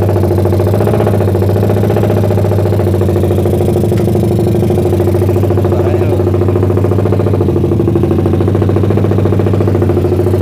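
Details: Suzuki Satria FU bored to about 177cc, lowered compression, PWK 30 carb with pilot jet 50 and main jet 150, cam timing unchanged. It kicked back when started but now idles with a deep, steady, helicopter-like thump.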